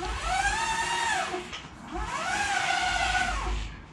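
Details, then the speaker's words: Omega Trac powerchair by TEFTEC, belt drive, turning in outdoor mode: a rising then falling high whine swells each time it turns, with a grinding edge; owner unsure whether a bad bearing or the belt drive causes it. "I don't know if there's a bad bearing or just the way the belt drive works but when you turn it makes really weird noises"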